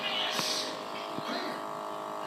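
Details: Toshiba DVD player: a steady buzzing, static-like hum with faint clicks while the disc spins. The cause is unclear.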